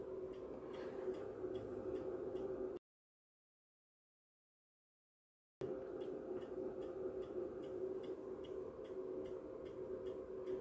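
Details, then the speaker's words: MW POWER MW-SC6B charger set to 24V recondition mode on a 12V battery, read on a 0–600 mA milliammeter; sharp steady ticks nearly four per second over quiet hum, pulses clicking at the clamps, questioned as unhealthy charging. "tu się zaczyna właśnie przygoda czy to jest zdrowe ładowanie akumulatora w takiej konfiguracji od tej ładowarki"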